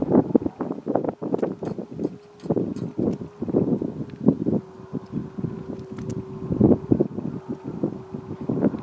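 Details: Railroad crossing gate mechanism on a windy day, heard before and after a passing train; steady mid-pitched hum like distant sirens or a horror-movie drone under heavy wind noise; cause unknown.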